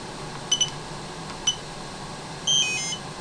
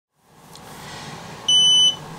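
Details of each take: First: DJI Spark remote controller after a fix for not turning off and constant beeping (fix: hold flight pause button then press power): a few short high beeps then a longer double tone as it shuts down properly, normal. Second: DJI Spark remote controller, new, after the drone lost connection while flying indoors and landed: a steady high two-tone beep over faint room hiss. The remote keeps beeping and will not turn off.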